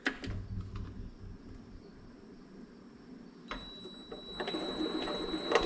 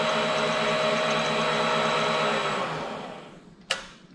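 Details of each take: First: Vevor mini lathe running with a high whine and uneven clicking and clucking; the pulley wobbles and the noise comes from behind it, where a pulley bearing had busted apart. A new bearing made it run smooth. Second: Vevor mini lathe after replacing a busted pulley bearing that caused grinding, clunking and a wobbly pulley: smooth even motor hum and steady whine, no clicks or wobble, clean spin-down.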